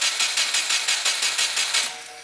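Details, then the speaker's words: Crashed Subaru WRX, key-on start attempt: fuel pump and relays heard, oil light off showing oil pressure. Starter cranks steadily, about five turns a second, but never fires; no spark, as an ECU pin must be grounded. "I can hear fuel. I think we've got fuel, but it sounds like we don't have spark. >> Yeah, dude. That's no spark."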